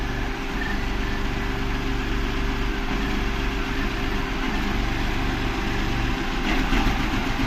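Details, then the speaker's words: Renault Kwid petrol engine idling with the AC on, fuel pump already replaced, check engine light on: an uneven, shaky, popping idle from a third-cylinder misfire that is normal with the AC off; the cause is still unconfirmed. "And same problem कर रहा है जैसे मैं अभी दिखा दूंगा AC चलाती फट फट फ मिस फायर कर"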